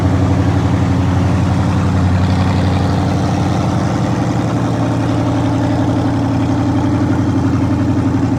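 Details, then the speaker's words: 1954 Ford F100 with a Coyote V8 engine swap, on its first start-up, idling on open headers with no exhaust and a new electric inline fuel pump: a loud, lumpy but even burble with regular firing pulses and no misses or ticks. Normal idle. "Just open headers. So she runs. She's breathing fire. Sounds good."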